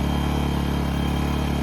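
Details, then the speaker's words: A-iPower SUA1500i 1500 W gas inverter generator, new and just unboxed, warming up with no load: very quiet, even hum with a steady low beat; normal no-load running. "God, this thing is super quiet. It doesn't have a load on it though."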